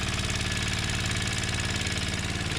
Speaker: Oh, well, it would fire it up there with choke on, but it fires up.